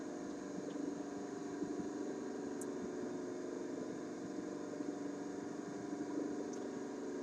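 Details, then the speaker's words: Concerto AM/FM vacuum tube radio LL21552 during alignment, AM band tuned mid-band, signal generator not connected; only faint steady hiss and low hum, no station or test tone: AM static, no signal received. "well I didn't receive it at all you know couple reasons for that one is I didn't have a didn't not have the signal generator did not have the signal generator connected"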